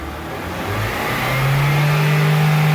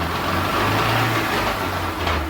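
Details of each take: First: Chevrolet Onix (Prisma line) 2015 after repair and reassembly: smooth even engine note climbing steadily with no whine, grind or clunk; the earlier strange engine-or-gearbox noise is gone, normal gearbox operation. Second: 2015 Chevrolet Onix (Prisma): noise absent in first gear and at idle but present from second through fifth under acceleration; faint gear whine and rough rumble over the engine, pointing to worn manual gearbox gears.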